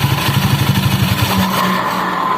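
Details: Honda Scoopy ESP scooter with weak, heavy acceleration and rough noise at the CVT: rough rapid pulsing judder that smooths briefly; damaged roller housing with jammed boss spacer dragging the drive, needing replacement.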